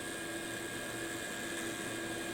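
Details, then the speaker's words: Digital picture frame fan causing a house hum, powered up: it whirs steadily with a faint rough hum under its tone from spent bearings. It now spins truer than before but is still noisy on startup. "you can hear it already but I'll Jam this in the power supply so yeah you can hear the bearing for sure"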